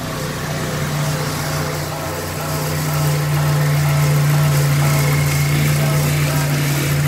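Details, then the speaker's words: GTi petrol engine, first start after an engine bay wash: started on the first try with no problems, settling into an even, steady idle with a smooth low hum, revs lifting slightly then settling; no misses or knocks, normal idle. "so just to show you guys that everything is okay here's the first startup after the engine bay wash as you can see no engine closed and it started in the first try"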